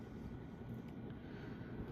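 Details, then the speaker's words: Early-1980s CEC-made Moss Heirloom Olympus 52-inch ceiling fan on high (motor rated 250 RPM): steady even whoosh and low constant hum, no knocks or rattles; 13–14° blade pitch slows high-speed low-torque motor; normal run. "As far as the motor goes, these blade, this blade pitch here definitely slows it down as this motor is designed for high-speed, low torque, akin to an industrial motor."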